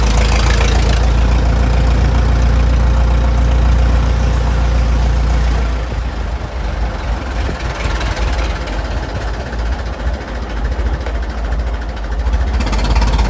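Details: Restored 1921 American LaFrance fire engine pulling away down the street: a deep, slow, even chuffing engine, a steady beat fading with distance; fine restoration, clean, healthy normal running.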